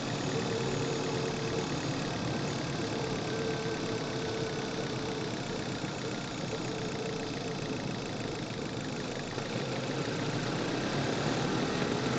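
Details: Manual-transmission car on a test drive with the microphone in the engine bay: steady engine drone under load with a faint loose rattling tick when accelerating, described as engine knocking (fuel knock), likely detonation/pinging.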